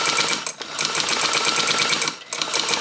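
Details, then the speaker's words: 1923 Singer 99K sewing machine stitching with bobbin corrected: fast, even light clicking with brief pauses, the normal knock of the hook rocking back and forth; oil holes take a drop of oil. "you hear that is just the way it is um the way that the hook moves it knocks back and forth"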